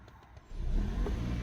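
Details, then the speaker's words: Hybrid car after 12 V battery replacement: the car had switched to EV mode, then the petrol engine restarts smoothly on throttle, hums steadily, and shuts off again, showing the system accepts the new battery. Normal restart. "see so the vehicle is now started again well actually started but you know the engine's kicked in as you can hear now it's just kicked off again"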